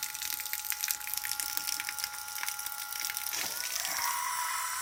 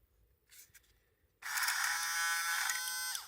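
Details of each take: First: Portative shower pump after home repair, impeller that had fallen off refitted on its screw: thin, high steady whir with water hiss, then cuts off cleanly; now works well. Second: Portative shower pump that stopped pumping: brief high buzzing whir spinning freely with a light rattle, motor humming without pumping; inside the impeller had come off its screw.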